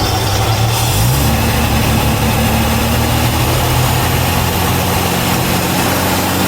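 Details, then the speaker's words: 1972 Jaguar XJ6 with manual choke, long-neglected street find, first start: loud, steady, even six-cylinder idle with no knocks or serious noises; oil pressure good, though it sounds and runs a bit rich. "Running a bit, sounds a bit rich, but it's no noises. I mean, I don't know how it sounds on the video, but there's no serious noises in that."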